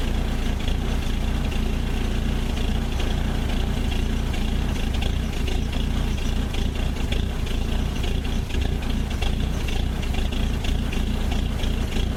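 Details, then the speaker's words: Old Ford Courier WL-T diesel cold start in summer: heavy, uneven clatter with an unsteady beat, very rough and getting hard to start; glow plugs removed to diagnose, suspected failed. "you just seen how cold starts and that's pretty rough in it's not that cold a we're in summer and it's starting like like it's in Alaska"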